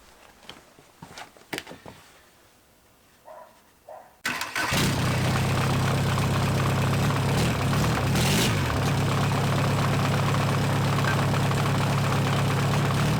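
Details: Junkyard VW Caddy 1.9 SDI diesel, about 190,000 km, naturally aspirated, out of vehicle; starter catches and diesel settles into steady even idle with no knocks, misses or hunting, healthy.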